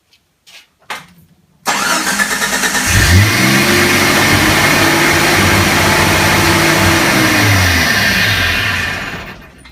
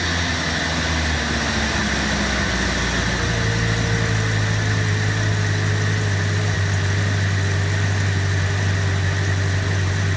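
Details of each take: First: On a 1986–1990 Renix Jeep, the engine cranks, catches and settles into a raised, steady high idle. The adjustable throttle position sensor on the throttle body is suspected of being out of adjustment or bad (not confirmed), and the fix is adjusting it. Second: Engine after fixing a high idle by adjusting the throttle position sensor, set to about 82–83 on the meter; steady, even idle with a settled low hum, no hunting or surging, normal idle speed.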